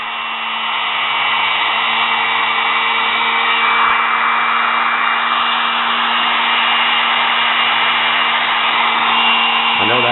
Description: Fixing and cleaning brushes in sewing machine motor After running for awhile the brushes seated better and sparked Less Also a small amount of Sparks are normal same as in a drill Etc . It should not be more than what it looked like when I was done